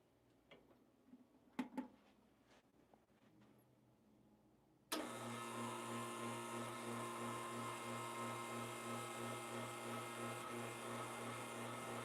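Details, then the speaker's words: Lelit Bianca espresso machine, owned since 2021, switched on. Quiet clicks, then a sudden loud steady hum with a fast even pulse; the owner calls this pump noise the machine's main problem, cause not yet found. "I guess so, that is my main problem I have with this machine. That noise."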